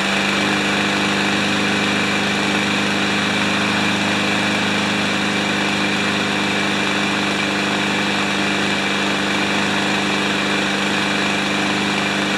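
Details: Remington mower with Powermore single-cylinder engine, started after carb spray and priming: running fast and fairly steady but a constant metallic racket rides over it, suggesting internal rattle; cause suspected, not confirmed, flywheel to be removed.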